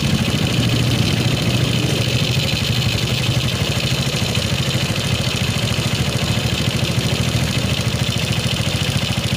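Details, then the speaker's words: Shogun 125 motorcycle after fixing battery-drop ignition fault and carburetor fuel flow, idle air screw adjusted: small single ticks at an even steady pace, no stumbling or hunting; normal idle speed. "turn it down a little OK, the speed is normal, let's go for it"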